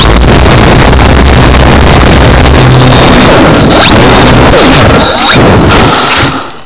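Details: GWS Focke-Wulf model plane with EMax 2218 970kv electric motor: motor runs at full power then abruptly quits on launch, followed by crashing and thumping as the model hits the ground.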